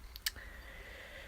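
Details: PS4 disc drive loading a disc: one sharp click, then a faint motor whir. A broken lift piece leaves the mechanism relying on a return spring, so the magnet snaps down hard onto the motor.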